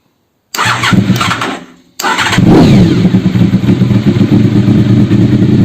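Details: Honda VFR RC36-2 after regulator replacement, battery at 12.80 V before start: starter cranks briefly, engine catches into a strong steady idle with no misfire; battery charges immediately, healthy.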